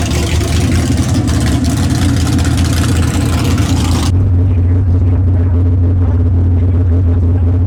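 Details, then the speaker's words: Bad Penny, automatic transmission just fitted with a new Freak Show torque converter, street test: loud engine pulls hard, then the note drops crisply at about four seconds into a firm shift with no slipping flare; working much better, normal. "Yeah, it's working a lot better now. You can actually hear the shift."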